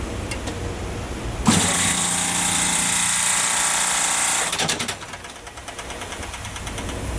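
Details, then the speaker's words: 30-ton refrigeration compressor, unit off, suction side not fully isolated: steady gas hiss running a few seconds then fading; gas bypassing leaking discharge valves, compressor continuously pumps down. "You can hear the gas bypassing the discus valves."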